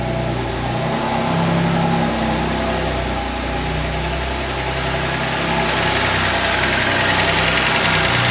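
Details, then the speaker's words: BMW M2 Competition on its first start after a new transmission and other parts, with the engine possibly dry: an uneven, lumpy idle with some flutter in pitch that settles slightly over several seconds. Rough running at first start. "a little rough let's see if it clients down here in a second crazy"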